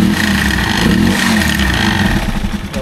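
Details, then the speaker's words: Rusi Chariot 175 motorcycle revving with a buzzy, tinny rattle near the engine, first mistaken for exhaust: loose air cleaner housing, its bracket weakly welded from thin flat bar and breaking loose. "Akala ko rin dati ay tambucho yun pala itong kanyang air [Palakpakan] cleaner so ito yung nag-iingay itong air cleaner ang loko-lokong air cleaner na to So Mahina pala yung pagka welding ng ah bracket niya"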